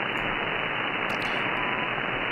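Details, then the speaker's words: SDR receiver running SDRuno, tuned to 3.330 MHz upper sideband in the evening: a steady, dense wideband hiss swamps the signal. The source is suspected to be neighbors' electronics, CFL or LED lights, or a TV. "this noise is probably coming from my neighbors it could be from my own CFL lights it could be from LED lights it could be from uh neighbors television it could be it could be basically anything"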